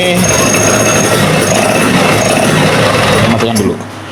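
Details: Vespa PX 150 engine after rebuild, reinstalled and test-started, previously hard to kick-start and wearing kick-start gear, suspected from excessive compression: small two-stroke catches and holds a fast even rattle about four beats a second, then settles lower; healthy start and idle.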